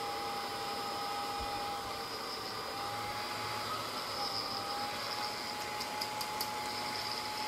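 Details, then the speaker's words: GMA465 multi-charger, bought new, noise began after about 20 hours of Ni-Cd charge/discharge cycling: steady airy rush with thin constant whine; internal DC cooling fan shaft suspected as cause, noise stops when case is hit. "After all, the cause is the shaft part of the fan. I'll try it with the set It makes a sound when you move it"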